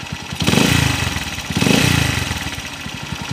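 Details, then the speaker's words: Honda TMX155 single, owner reports ticking when cold that fades when warm: uneven idle with revs swelling and dropping and a rough rattling spin inside; crankshaft bearing worn and crankshaft bent. "parang may ma-i na umiikot sa loob y oh oh ayun malagitik tapos yung magaspang na umikot dito yung ma- vibrate parang yung kwan niya yal bearing parang yung segal bearing nito mga bro"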